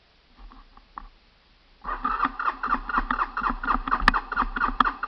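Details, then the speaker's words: Honda TRX 300 ATV, cold start with outside temperature in the 30s: steady starter cranking at about eighty strokes a minute, turning over evenly but never catching; owner smells gas and suspects it is flooded. "I smell gas which means it's flooded. That's not a good thing."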